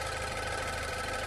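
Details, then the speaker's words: 2016 Range Rover Evoque at idle during a pre-purchase inspection, hood open: light, fast, even ticking over the engine note; the inspector says similar four-cylinder BMW and Mercedes ticks may be normal but is unsure. Ticking at idle, cause unknown. "okay i can hear something clicking it doesn't sound scary but i can't say for sure that that it's normal i have seen man many cars like bmws and mercedes with the four surrenders with this kind of ticking noise which apparently might be normal"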